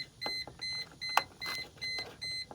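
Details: 2001–2004 Mercedes SLK 320 with interior beeping and no turn signals: steady, repeating high-pitched cabin beeps about twice a second, like an alarm clock.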